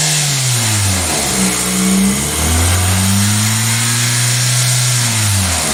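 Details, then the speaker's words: 2000 Toyota Celica GTS 2ZZ engine on cold start: idle wanders and climbs to 1400–1500 rpm with throttle shut, IAC duty 60%, stumbly and hesitant; owner suspects vacuum leak or idle air control valve, not confirmed. "so engine speed is 1400 this is interesting idle air control duty cycle is at 60 percent but I think I think the rails are too high now we're at 1500 holy folks"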